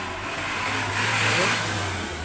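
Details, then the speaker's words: Old Union Orbit fan after repair, motor windings had been sparking at the magnetic coil and running with a rough buzz; now a smooth, even low hum with soft air rush, quiet with no sparking; normal running. "At saka hindi na siya garalgal, tahimik na yung kanyang ayan."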